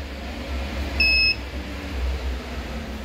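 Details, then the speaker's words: 12V-to-220V inverter converted from a UPS, running a 50 W lamp: a single short high beep over a low hum as the low-voltage alarm sounds, battery input sagging from 12 to about 10 V, blamed on undersized cable. "Ini tegangan jadi 10 volt habis strumnya langsung habis karena ini kekecilan kabel maklum ini 50"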